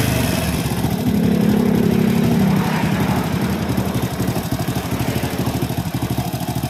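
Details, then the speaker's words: Honda Supra X (C-series) motorcycle idling, still rough after replacing the automatic cam chain tensioner lifter whose check ball had come loose: fast uneven clatter about three taps a second; worn cam chain, chain to be replaced next. "Baik Kang Bro, untuk suaranya tetap masih kasar ya. Langkah selanjutnya kita langsung bongkar bagian rantai ketengnya."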